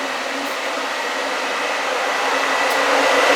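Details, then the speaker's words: Turbo Nissan 240SX radiator fans now on a new relay with a new power source, replacing a burned 20-25 amp dash switch: steady airy whoosh with faint hum, spinning faster than before; normal cooling fan operation. "Definitely hear them running now. They're actually turning a lot faster than they were on that 20 amp, 25 amp switch."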